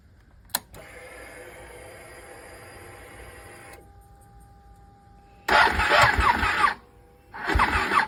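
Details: Ducati 1199 Panigale, hard starting only when cold, fine warm; starter turns over slowly and unevenly in labored bursts; not the battery but corrosion on the starter solenoid terminals.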